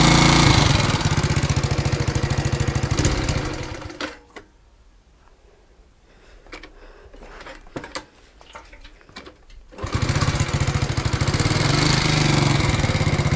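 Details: Alpha moped with a new piston kit: a fast, even ticking knock rides the small engine's buzz at idle, stopping and returning on restart; valves don't leak, magneto and clutch are fine, and the source is unknown.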